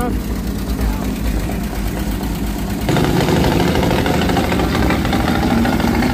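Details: 1946 Power Wagon carbureted engine after carburetor repair (accelerator plunger spring fault fixed): steady low thrum picking up slightly midway, even and smooth, no misfire or knock; normal idle.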